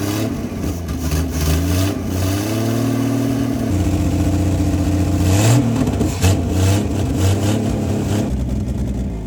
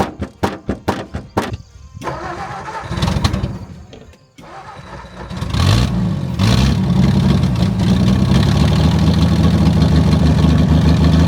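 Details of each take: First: 1959 Ford Edsel revived after sitting over a decade, idle turned up: engine climbs through repeated free revs and settles back cleanly with no stumble, carburetor responding; normal revving, though carb rebuild is criticized as poor. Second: 1959 Ford Edsel after sitting over a decade, started on carburetor with glass fuel bowl: cranks in quick bursts, catches into loud uneven run with raspy chuffing; fuel pump gone and a large exhaust leak.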